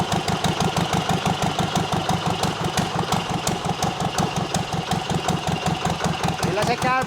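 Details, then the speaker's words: Zetor 25 two-cylinder diesel tractor, first start after full engine rebuild, open exhaust with no manifold: loud, even barks about three a second, both cylinders firing, sparks and black smoke; normal idle. "engine is running on two cylinders , it's hot gas. first start. Absolutely amazing feeling."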